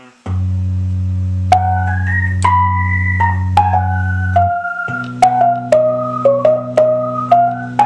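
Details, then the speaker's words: Organ with AO-29 amplifier after replacing two tubes (one dead non-tremolo-side tube, one with a broken pin): clean, sustained loud chords and melody, no hum, crackle or dropouts. Normal organ output. "give a nice little sound sample of what this sounds like now that it has brand new tubes in it."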